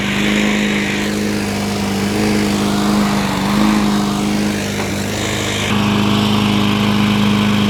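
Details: 2003 Toro Recycler push mower: steady, even single-cylinder buzz with a light rattle. Engine judged perfect; rattle suspected from the blade, not confirmed.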